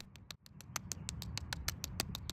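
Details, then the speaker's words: Stihl hedge trimmer stored with fuel left in it that now won't start; its warped, cracked carburetor metering diaphragm gives dry, irregular crackling ticks about six a second when flexed because it has hardened, when it should be silent. "Now, that sound you're hearing is not supposed to happen. The diaphragm should be soft enough not to make that sound."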